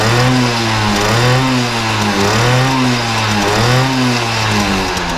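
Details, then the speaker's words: 1980 Benelli 3 V K Export moped two-stroke, warmed up after a cold start with slight smoke and possible small exhaust leak: clean buzz, pitch swinging smoothly with throttle blips; normal running and revving. "quindi voi abbiamo visto che è un motore che fa un rumore molto, molto forte"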